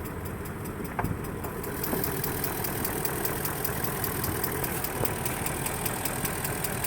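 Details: 2003 Range Rover HSE, 4.4L BMW M62TUB44 V8, possibly a little low on oil; steady idle with a light regular tick about four or five per second, source unclear. The noise eventually went away on its own.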